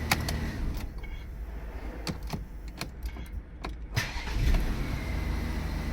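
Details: Audi Q7 with no ignition, like dead battery, from faulty steering lock module, after fitting a pre-programmed replacement box: a few clicks and knocks, then the engine catches within a second and settles into a steady even idle; repair successful.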